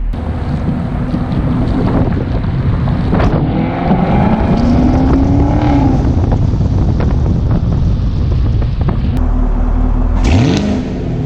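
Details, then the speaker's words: Stock 2019 Chevrolet Camaro SS V8 exhaust in track mode: deep, steady burble swelling and falling with throttle under wind noise; clean, healthy factory exhaust, not as loud as the owner would like. "cuz this car even though it's stock and it's not as loud as I would like it it still sounds great and that was in track mode"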